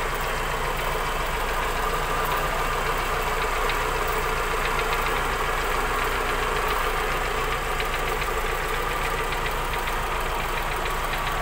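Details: 1990 Daihatsu Charade GL saloon, old engine with slight seepage: steady even idle with dense mechanical clatter, no clear knock or miss; engine sounds healthy.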